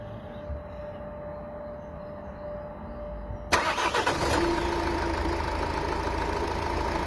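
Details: 2.0 dCi diesel, cold start: starter whirr, then the engine catches and settles to a fast, rough clatter at cold idle; abnormal cold-start engine noise, cause not identified.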